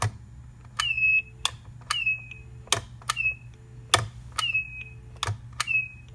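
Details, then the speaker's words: Stanford dorm room desk telephone: a click on each handset lift, then a brief high squeal falling slightly in pitch; happens only when lifting off the base; owner rules out the switch hook and suspects how the receiver rests on the base. "Even if you pick up the receiver a little bit more slowly, it's actually kind of hard to pick up the receiver and not hear that squealing noise."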